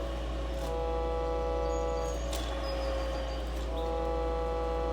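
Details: Silvertone 4721 air-powered chord organ found in the trash, blower running: steady chord drones on by itself over the fan's low hum; key stuck down.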